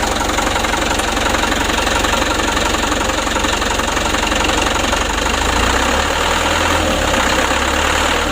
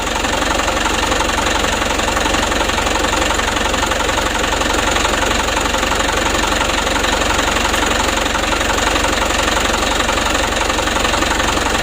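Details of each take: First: Mitsubishi Canter HD 125 diesel truck (possibly 2025) during Bosch injection pump service and adjustment; steady idle clatter with faint uneven beat and slight shake; rough idle, pump adjustment still needed. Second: Mitsubishi Canter HD 125 diesel truck (possibly 2025) after Bosch injection pump service and adjustment; even, steady idle clatter without misses or hunting, smooth from low to high throttle; normal idle, job finished.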